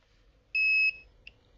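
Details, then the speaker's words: Redmi 9A dead phone: multimeter gives a single steady high beep of about a third of a second on a CPU-corner capacitor of the 3.0 V USB line, showing continuity to ground on both sides; shorted USB line. "देखिए इस side भी beep की आवाज़ आ रही है, और इसके इस साइड भी बीप की आवाज़ आ रही है, दोनों साइड बीप की आवाज़।"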